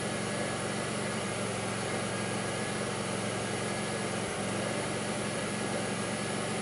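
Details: 2002 Pontiac Grand Prix 3800 V6 with a rough, bogging idle, no check engine light and an overheating alternator, logged with Torque OBD2: a faintly uneven, lumpy idle with a brief sag near the end; faint intermittent thumping pulls the idle down, cause unclear.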